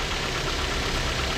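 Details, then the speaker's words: 2011 Hyundai Tucson idling after an alternator replacement. The old alternator was noisy from a failed front bearing near the pulley. Now a steady, even idle with no whine or bearing growl, and the noise is gone. "Nakumpleto ko na. Umaandar na. Wala nang ingay."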